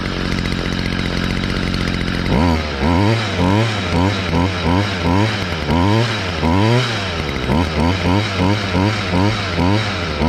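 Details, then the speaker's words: 2011 Stihl FS55R trimmer, 27.2cc two-stroke, nine years old, last run November 2019, started on choke and primer bulb; smooth idle, then repeated sharp clean throttle blips with no bogging; normal running. "all right mr. Steele that one's really good"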